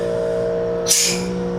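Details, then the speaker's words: 2010 CCT ambulance rig patient compartment suction/exhaust unit: steady even motor hum with brief hiss surge when suction port is covered, then settling smoothly; evacuates odors from the back. Normal running. "Well, it's sucking from somewhere, I can hear it, so that will evacuate whatever odors are back here that you don't want to be back here."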